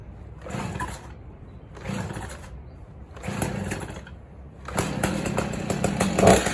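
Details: Stihl chainsaw on fresh gas, lever moved back to run after the choke chortle: three short pull-cord bursts about a second apart, then it catches and runs with a steady buzzing rasp; a healthy start.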